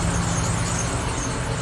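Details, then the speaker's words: Cadillac Allante started cold in New England on a tired battery: steady even low rumble, no check engine lights, good oil pressure, slightly squeaky but running great at idle. "no check engine lights, good oil pressure. It's a little squeaky, but still running great."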